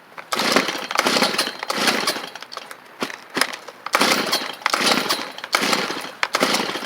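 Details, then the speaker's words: Stihl 290 chainsaw obtained free: repeated rope pulls give short raspy bursts about every second but it never catches. It cranks without starting; owner suspects it flooded itself. "that's good I think this 290 will run it tried just a second ago I wonder if it flooded itself"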